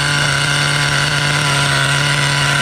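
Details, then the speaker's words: Vintage 2003 Schumacher Menace 21 1/10 nitro truck, hex-drive started without the original e-start: a fast, steady buzzing idle with a sustained high tone. The carb idle is set too high and will be lowered with the idle set screw. "all right the carb is a little on the high side I'm gonna have to lower the idle a little bit"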